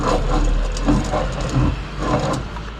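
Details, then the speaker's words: 2004 Subaru Forester XT while driving: a deep, rough grinding rumble pulsing in waves from a worn passenger-side rear wheel bearing, which got much worse after a dyno session; the bearing and ABS ring were replaced. "uh you probably have a wool bearing bad and i've known that the um the uh the passenger side rear one here has been bad for a little bit"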